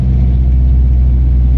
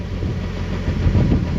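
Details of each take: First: Turbo Nissan 240SX with shop-vac hose intake and vacuum-hose fix: steady even low rumble, no stumble or dropouts, no longer constantly dying; exhaust vibrates at blow-off RPM; running well. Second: Turbo Nissan 240SX with homemade shop-vac intake at idle: steady low idle with irregular metallic clanging as the exhaust shakes, held by only one hanger.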